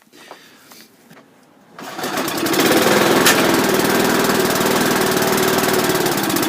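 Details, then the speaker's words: Briggs & Stratton-powered Rover mower, cold start after engine change, fixed throttle: a few quiet seconds, then it catches and settles into an even, steady run with no misses or knocks; normal running. "This will be the cold start on the Rover after the engine change, so I'm going to start"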